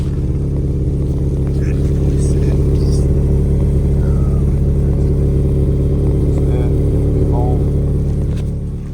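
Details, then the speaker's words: 1986 Honda Prelude Si at idle, which varies between about 1000 and 1500 rpm, heard at the rear: rough spitting puff on the exhaust note from a hole in the exhaust. "There is a hole in the exhaust, as you can hear back here."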